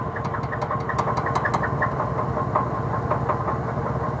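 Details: 2003 Cadillac DeVille at a rough idle after a morning start, with the engine stalling and the exhaust shaking: irregular knock about two to three per second plus a light chirping squeak on top; cause not yet identified.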